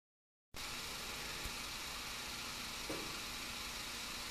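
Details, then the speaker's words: 1951 Hammond RT-2 console tonewheel generator after replacing 60-year-old wax paper capacitors, start motor then switched to run: smooth, even hiss-like hum starting abruptly and holding steady, no knocks or rubbing; runs healthy. "And when I hear the tone generator come up to speed, then I'll flip it to run. Okay, that's it. Now it's running."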